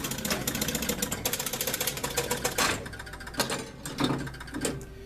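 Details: 1969 Gottlieb College Queens four-player electromechanical pinball machine, set to 5-ball, start button pressed: fast rattling clicks for about two seconds, then a few spaced clunks as the reels and relays settle, and the playfield lights come on; a clean, healthy game reset.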